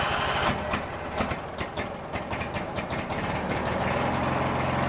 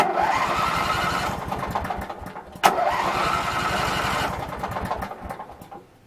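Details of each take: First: Craftsman 19.5 riding mower, back together after ignition switch replacement and refuelled: small engine catches after a few rough pops, then settles into a steady, even putter with no misses; running normally. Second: Craftsman 19.5 mower, reassembled and test-started (possibly with air cleaner off): starter cranks at about three to four beats a second without catching, then a click and weak stumble; ignition switch fault suspected, and it oddly starts on releasing the key.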